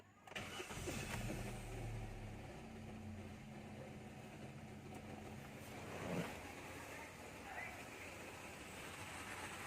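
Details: 2016 Hyundai Accent after repair of a no-crank/no-start problem: short crank catches quickly and settles into a smooth steady idle with no stumbling or misfire; starts and runs normally.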